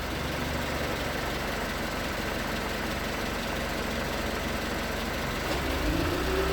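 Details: 2019 Hyundai Tucson 2.0L GDI Nu, 24,000 miles, cold idle on Mobil1 5W-20 under 1,500 miles old: light, fairly quick knock about four per second over the engine note, piston slap; later 5W-30 only slightly quieted it.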